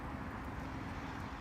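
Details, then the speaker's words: Maytag Centinel top-load washer that had a loud squeaking/grinding noise from the motor side when agitating, checked after the fix: steady low rumble, even churn of motor and drive, no grinding or knocking; running normally. "On this one seems to be working fine. So I'm just going to check it through now to make sure everything else is good, but besides that, it looks good."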